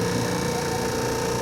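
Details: Industrial mixer after replacing a damaged gear, started on the middle (lowest) speed setting: a steady, even motor hum at constant pitch with no grinding or knocking from the gears. Normal running.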